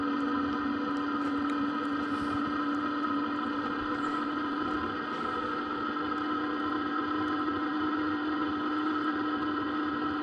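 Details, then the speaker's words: Wabasco parking heater in a Sherp running normally at about 25°F, heard from outside the vehicle: a loud, steady, even drone with no knocks or surges. It is loud outside, not inside, and heat can be felt coming off it. "this is just the Lobosco heater [Music] so as you can hear it it is loud not on the inside that on the outside you can feel a little bit of the heat coming off"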